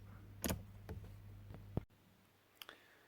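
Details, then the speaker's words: Jaguar X300 4.0 six-cylinder, wipers dead though washer works and fuse tested good: sharp relay clacks in quiet cabin when wiper stalk is operated, no motor hum follows; relay clicks but wiper motor does not run. "alors ce qui est étonnant c'est que quand on actionne l'essuie-glace bon on entend un clac qui semblerait indiquer que le relais fonctionne"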